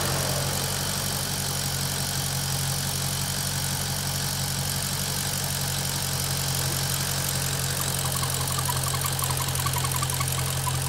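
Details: Maserati GranTurismo at warm idle, operating temperature: quick light ticking chatter over engine hum; noise absent when cold or with oil dipstick pulled; source unidentified.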